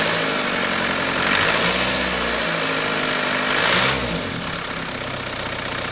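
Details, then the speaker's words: 1991 Toyota pickup with swapped 1.9 L ALH TDI turbo diesel from a 2000 VW Jetta, first start; pump timing and IQ not yet adjusted. Steady, even diesel idle clatter with no misses or knocks, settling in and running smoothly. "dude I didn't think it would run that smooth"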